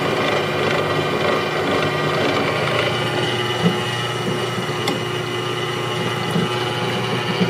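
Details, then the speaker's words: JET 15-inch floor drill press 45792 running, with a broken belt-tension cam adjuster that leaves the motor locked in one speed position. A smooth, even motor hum with no knocks or rattles; it runs normally. "However, the unit does operates very nicely. Just turn it on for you."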